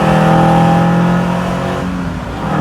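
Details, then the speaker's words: Mahindra Thar with an aftermarket free-flow air filter and snorkel, revved: deep throaty roar with loud intake hiss swelling on the rev and easing back; healthy breathy intake sound. "तो भाई ये आवाज थी DIA बीएएमसी air filter की जिसे दूसरी भाषा में पैसों की आवाज भी कहते हैं"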